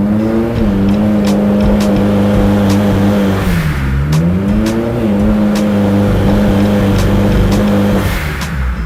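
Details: Turbocharged Honda S2000 under load on the dyno around 3000 rpm, steady drone breaking up with sharp pops and stumbles as high cylinder pressure blows out the spark; plug gap too wide and plugs too hot, fixed by gap check and colder plugs: ignition misfire under boost.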